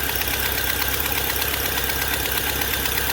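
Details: Fiat Palio Fire 1.0 8v petrol at idle with a sharp, steady ticking, about three a second, that sounds like engine knock. Cause is a burnt exhaust manifold gasket leaking; fix is replacing the gasket.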